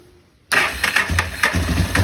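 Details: 2006 Kawasaki KFX 400 after valve adjustment, which first gave a no-start: single fires at once and pulls clean quick throttle blips with no misfire, normal start and rev.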